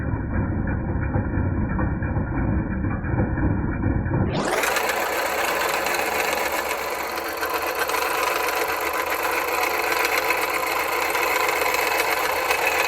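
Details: 2010 Jeep Patriot Sport 2.0 idling: fast metallic clatter about four knocks a second from belt-driven accessories, persisting after new power steering pump; alternator replaced and noise went away.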